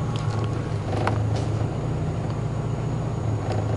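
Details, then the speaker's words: Turbo 1996 Acura Integra GSR with a newly installed Grams Performance 255 fuel pump replacing a failing Walbro, after sitting a couple hours: smooth even idle, no whine or buzz; pump quiet and normal. "I'll turn the key to on so you can hear it prime, and then once it's primed, then I'll start it up so you can hear it at idle. Pretty quiet."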